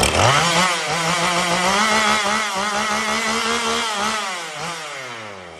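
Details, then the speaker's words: Poulan Pro 5020 chainsaw, unused for years, revived with new parts and carburetor low, high and idle adjustments (low turned out about 2.5–3 turns): catches and holds a steady, even buzz that climbs a little and settles; owner says not running its best. "so it's pretty good now it's not running the best but I'm gonna start it up for you"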